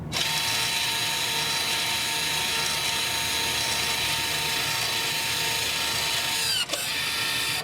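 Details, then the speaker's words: Toyota/Lexus electric parking brake, leaving rear brake service mode by pulling and holding the button without pressing the brake pedal: steady high electric motor whir from the rear runs evenly for several seconds then stops cleanly; normal operation. "To deactivate this mode, you have to pull this button up, pull and hold, without pressing the brake pedal. Wait until you hear the motor working in the back."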